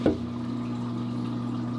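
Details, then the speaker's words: Aquarium DC return pump, apparently the old pump rather than the new $85 one, switched back on: a thump, then a loud, steady low hum with a buzzy overtone that never changes; the vibration noise is far too loud. "I mean, I am not crazy, right? That is crazy loud."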